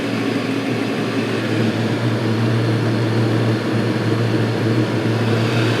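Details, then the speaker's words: Chinese 5–7 kW 12V/24V diesel air and water heater just started: glow plug off, internal pump on, drawing 5 amps. Steady low hum with an even fan whirr and no pulsing or sputtering; normal running. "Okay, now it's up and running. I'm going to turn on the little pump that's in here."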